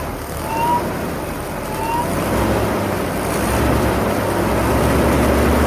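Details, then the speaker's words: Jeep Comanche after 10 years sitting, first start with new fuel pump, pump relay bypassed by jumper wire, starting help used; catches and settles into a rough, uneven rumble, on very bad old gas, valve cover leaking. First start after long storage. "all right so it runs it freaking runs oh it sounds like he's gonna die it's really bad gas that's in there like really really bad gas"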